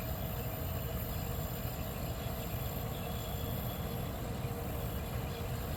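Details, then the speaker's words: 1973 Westinghouse 25-pint dehumidifier with an R12 compressor: a smooth, even low hum with a steady fan rush and no knocks or rattles; the fan is possibly at full speed, and it runs quietly and sounds healthy. "I wonder if that's the full speed that the fan motor is running at because if it is the this thing's quiet"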